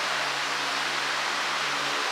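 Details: iLiving fan, apparently the 20-inch one, at full speed after spray-paint blade balancing; owner says it is still a little shaky but better. Steady, even rush of air with a faint low hum and no wobble or rattle.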